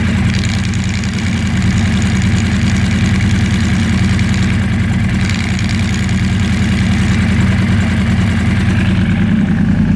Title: Yamaha R1 rattle noise